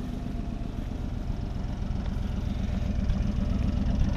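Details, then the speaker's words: 1959 Buick Electra 225 with the 401 Nailhead V8, started by pressing the accelerator with the key on: a smooth, even low idle at about four beats a second, settling and slightly building, with a faint electric fuel pump clatter. Normal idle. "Foot start, you know, foot pedal start. Just turn the key on. Okay. So you just push the accelerator and it cranks right off. That's how you start it. I'll get out. Definitely sounds good."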